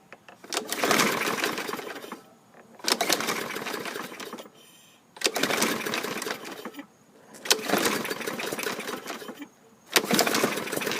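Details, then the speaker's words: 2015 Yard Machines self-propelled mower with a Briggs & Stratton 550E engine, after flywheel key replacement and carb cleaning, surges up and down every couple of seconds. The owner plans a fuel additive. "I'll probably put some additive in the gas it's got a slight running issue"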